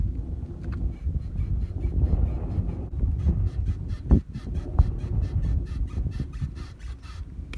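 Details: BMW E90, rear suspension rocked to show the noise: a honking, groaning squeak about every second as the body moves, owner unsure whether shock or bushing.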